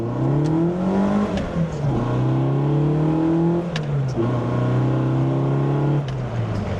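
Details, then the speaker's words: Sunny truck with a rebuilt A15 engine, no extra throttle return spring: blips where the revs fall straight back to idle each time, with no hanging. The throttle returns normally. "take foot, slow off the throttle, and it just does what it's supposed to do. So, all right, that's how we're going to run it. No return spring."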